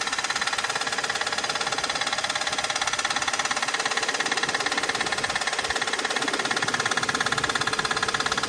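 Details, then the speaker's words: Audi D2 S8 V8 at idle on first start in about a year after a 2020 crash: steady rhythmic scraping tick about 3.5 per second, crank pulley rubbing against something; engine otherwise okay, pulley seating to be checked. "but uh that's the sound of our horrific noise so I guess the engine is okay we just need to figure out why that is making contact right there"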